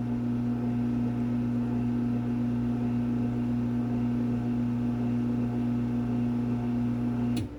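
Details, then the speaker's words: LiftMaster 1245 garage door opener dated February 1993, no foam in the case but isolators between the panels, run by remote: low, steady motor hum, no grinding or clatter, clean stop. Insanely quiet, as quiet as a belt drive. "You can hear this thing is insanely quiet."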